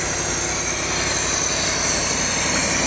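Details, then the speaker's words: 1996 or 1997 Lexus LS400 parked ten years, first run, smelling of rotten gas and smoking everywhere: keeps running with loud hissy rush over an uneven, lumpy low beat; rough running. "The surprising news is that it's still running. It hasn't shut off."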